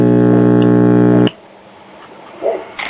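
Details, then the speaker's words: Early-to-mid-1960s Trutest series-string stereo tube amplifier, first power-up after recapping, gives a loud, steady 60-cycle buzz-hum, cut off abruptly; ground and B+ continuity check good; ground loop or hot chassis suspected, possibly a heater-to-cathode short. "here we are turned on and I'm grading this crap 60 cycle hum"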